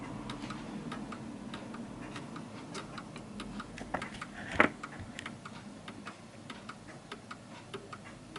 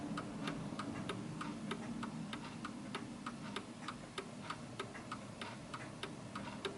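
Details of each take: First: 1940s Hermle (FHS) 8-day German Art Deco chiming clock deliberately tilted on a wedge: pendulum ticks unevenly at two to three a second, out of beat, struggling and then stopping. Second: 1940s Hermle (FHS) 8-day Art Deco chiming clock after the beat is adjusted: crisp, evenly spaced tick-tock about three ticks a second, clock back in beat.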